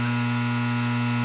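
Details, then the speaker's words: Under-cabinet microwave with start pressed and the controls working: loud, steady low buzz with no rhythm from the high voltage transformer in the power supply; fault traced to the power supply, not the door switches. "now you can hear that noise that it's making like I said hear that noise from that power supply I can actually tell because of the noise because of this being unplugged that that's what's a matter with it"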